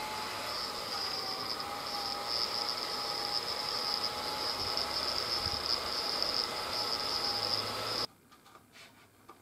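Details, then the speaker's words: GMA465 multi-charger DC fan, removed and run on an external power supply, shaken while rotating: steady thin high-pitched whine with faint buzz; noise began after about 20 hours of Ni-Cd charging, and the fan is suspected, not confirmed. "If it is rotated without changing the state, it will not make any noise. Shake the fan while rotating it to make a sound"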